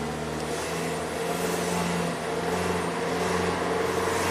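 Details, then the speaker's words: 2014 Ford Transit Connect EcoBoost held at half throttle, coolant 95°: engine note and turbo whistle swell and sag rhythmically; surging under load with stalling complaints, turbo seemingly not commanded to spool; pending P2626 O2 sensor code, cause unconfirmed. "Alright, I'm just going to hold it at half throttle and you'll hear the turbo."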